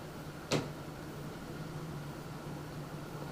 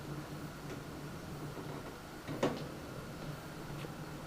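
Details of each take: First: NZXT Phantom 410 mid-tower case pre-installed fans at highest speed setting, where a weird vibration or electrical noise heard at medium speed disappears: quiet even airflow hiss with faint steady hum, no rattle or buzz; normal fan running. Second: NZXT Phantom 410 mid-tower case stock fans on the built-in fan controller at medium speed: steady low hum with a faint higher whine over the fan air noise; the controller noise is absent at highest speed, and a replacement controller fixes it.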